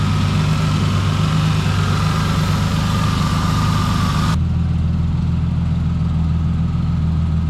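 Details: 2006 Mustang with a swapped-in 4.0 V6 from a 2007 (the original's timing slides failed), just started after the swap and not yet warmed: steady, even low idle rumble with no knocks or ticks; healthy, normal idle.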